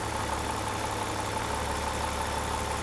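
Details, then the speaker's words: E38 Alpina B12 6.0 V12 with 14 years and 18,000 km on cheap oil: quiet, even idle hum with no misses or shake, firing on all 12 cylinders. The engine sounds healthy. "but the engine sounds good in smooth it's firing on all 12 it's not shaking or anything like that"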